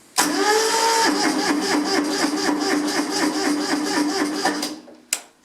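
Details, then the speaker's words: Kubota B7001 diesel tractor, about 10°C, unused two months, after glow: spins over with quick even chuffs about four seconds, then stops without catching; hard cold start, owner suspects weak battery. "sounding a bit sad i'll probably just use the decompression lever to get a bit more spinning and then just drop it"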